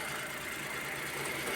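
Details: Suzuki minivan D63 petrol engine after valve clearance fix, camshafts refitted and new head-cover gasket: steady even idle hum with aircon, no misfire or knock, check-engine light cleared.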